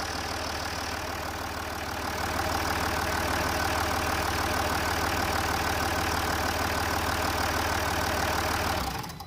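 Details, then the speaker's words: Range Rover Sport 3.0 TDV6 diesel, 1200 miles since rebuild, at service after bleeding air from fuel lines: smooth, even diesel clatter at steady idle, no misses, knocks or hunting; "still sounds like a watch", running cleanly. "kick it in the gut sydney and she still sounds like a watch"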